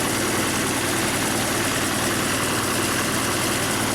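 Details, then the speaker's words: Harbor Freight air compressor with a newly installed replacement pump, intake filters off, building tank pressure: loud, steady, even pumping roar with no knocks or rattles; the pump runs healthy under load. "but anyways I'm going to give it a start up here I don't have the filters on it now but I got to put those on I don't know if you can hear on the camera but it's actually building on pressure"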